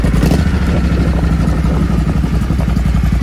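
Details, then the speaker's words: Triumph Thunderbird 1600 motorbike just started after replacing blown fuses, warming up before service: deep, steady low idle with even loping beat, no knocks or rattles; healthy cold engine. "Had it running for a couple of minutes now, nice and warm."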